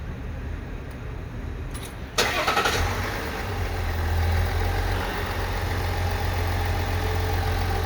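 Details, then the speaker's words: New 2021 GMC Sierra AT4, 3.0 L inline-6 Duramax diesel, first start after changing to AMSOIL 0W-20 synthetic: quick crank, clean catch, then a soft, even idle with no ticks or rough beats; healthy, "purring kitten." "like a happy purring kitten"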